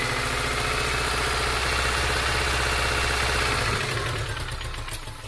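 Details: 2002 Subaru Legacy EJ253 flat-four at idle with a steady knock about four per second after a pop and stutter while driving; jumped timing, rod knock or bad tensioner suspected, not confirmed.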